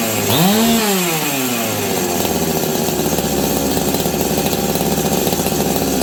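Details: Husqvarna 385 chainsaw that sat for years: blips up then holds a high, slightly hunting scream, revving freely; the high, unsteady speed points to a suspected air leak.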